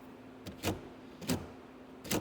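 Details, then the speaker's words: BMW E30 door locks after keyless entry install: three quick clean clacks with brief motor whir about half a second apart as it locks and unlocks — normal door lock actuation. "I don't know if you guys can hear it. It locks and it unlocks."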